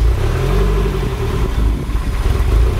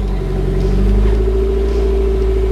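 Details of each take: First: MR2 Turbo just started on a newly installed Link G4X plug-and-play ECU, untuned: a loud low idle that surges and dips unevenly. Rough idle from the untuned base map; it needs tuning. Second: MR2 Turbo on first start after installing a Link G4X plug-and-play ECU: the engine catches and runs with a steady low rumble and firm hum, no misses. Normal start.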